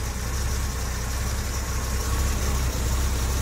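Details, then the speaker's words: Late Series 1 Daimler Sovereign (Jaguar XJ6) 4.2-litre with new electronic ignition, warmed up after choke off: low, steady idle about 650 rpm, correct speed since higher makes it clunk into gear, even beat, no misses or knocks; normal idle. "Yeah, we're about 650 RPM now, so that's about where she needs to be. Any higher and she clunks going into gear."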